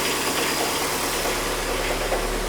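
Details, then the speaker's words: 2010 VW Fox flex-fuel, cold, running on ethanol: steady, even idle with no stumble, smooth hum and light top-end tick; runs smoothly without vibration; normal idle. "o carro tá funcionando sereninho sem vibração"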